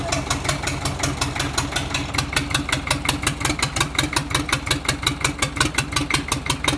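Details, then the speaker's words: Chinese four-cylinder diesel (Shahzore/rooler engine), misfiring after start; injection pump since repaired and refitted but untested: loud running with steady chugging about three a second and a hard knock. "पहले इसको start किया है ये missing कर रहा था अभी इसका पंप बनाया है लेकिन अब चेक करेंगे मशीन पे चेक नहीं किया है वैसे ही फिट किया है।"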